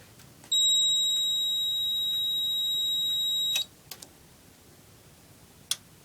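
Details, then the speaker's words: FCI 7100 2D addressable fire alarm panel unplugged from mains and running on battery, after a kitchen pull station activation: a steady high-pitched tone for about three seconds, then clicks; the AC power light is off, signalling an AC-loss trouble. "this is running fully on battery first alarm kitchen pole station yeah you can see AC power light is off and there's a trouble"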